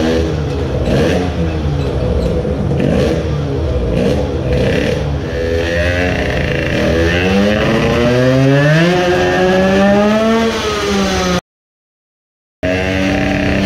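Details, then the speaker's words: Modified moped two-stroke on a magnetic brake dyno, with the gearbox slipping into false neutral between 3rd and 4th. Screaming up the revs with rough clattering and uneven pulses as the cylinder broke loose, bouncing a couple of millimetres and leaking fuel; the aluminium spacer plate probably failed. "the cylinder broke loose not sure if it is visible but it is bouncing up and down a couple of millimeters the aluminium spacer plate has probably failed."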